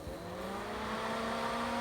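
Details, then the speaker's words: 12 V cooling fan for a drill press motor upgrade, drawing about three watts and pushing a lot of air; a steady airflow rush with a constant mid-pitched tonal whine from the fan. "so this one's now running maybe you can hear that tonality 12 volts just pulling around three watts there's a fair bit of air coming out of that so that's nice"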